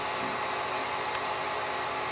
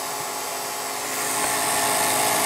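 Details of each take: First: Revere P-90 projector after restoration, running in run position: steady high-pitched whirring hiss with fine fast chatter, even with no knocks or slowing; mechanism now much quieter, the motor making most of the noise; normal running. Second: Restored Revere P-90 projector running: high, steady whirring whine rising slightly as it runs up; mechanism now much quieter, the motor making all the noise; loud motor whine.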